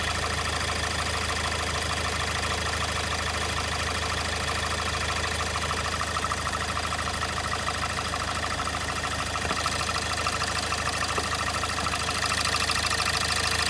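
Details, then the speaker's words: Kia Sportage 1.7 CRDI D4FD diesel, 15,000 km, under warranty, warm idle with oil filler cap closed: steady even ticking knock about three per second; barely heard cold; dealer suggests injectors, unconfirmed; diesel engine knocking. "Kia Sportage 1.7, дизель, лишний звук в моторе."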